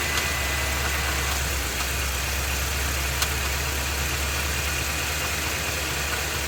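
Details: Ford F250 with 7.3L Godzilla gasoline V8, phone under the truck, idling, A/C off. Faint, rough tapping under the engine note that persists; internal knocking, cause unclear, dealer said drive it, truck later getting a new engine.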